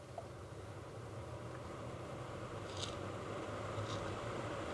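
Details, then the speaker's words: Ford Flex HVAC blower after blower motor resistor replacement and wiring repair: steady, even fan rush at full blast, middle and low speeds with no squeal, rattle or cutting out; blower runs normally. "all right so there's our full blast there's about middle and there's low"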